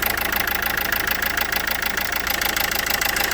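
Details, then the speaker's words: Renault Scenic III 1.5 dCi diesel idling, injection fault on dash; lumpy regular beat, running on three cylinders; scan shows injector 1 (gearbox side) signal fault, unplugging it makes no difference; misfire from dead injector. "After we started the engine, we heard that one of the cylinders doesn’t work. You can hear how it works. After scanning it, the computer showed a problem with the signals of injector 1."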